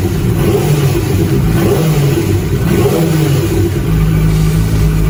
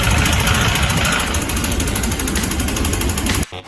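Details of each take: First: QJ Sai 600 motorcycle engine revving in smooth blips with an even exhaust note, no knock or clatter standing out; normal by comparison with a failed engine that got louder with throttle. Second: Sai 600 motorcycle engine, quiet at idle but getting louder the more throttle is applied, with a hard, hammering clatter on top; pistons strike the valves, leaving clearly visible piston-to-valve contact marks.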